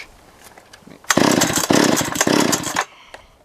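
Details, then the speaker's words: Chainsaw that would not idle, spark plug looks good, during compression test: quick burst of strong even chugs as cord is pulled, reading about 150; normal compression on cranking, fuel/carburetor suspected next. "compression 150 so we're looking okay on compression we've got good compression good spark what else is left fuel"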